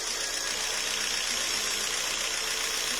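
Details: Jeep Renegade 1.4 L MultiAir2 turbo I4 with misfire codes P0300, P0303 and P0304, before repair: an uneven, hissy idle stumbling irregularly about every half second; cylinder 3 misfiring from a fouled, wet spark plug.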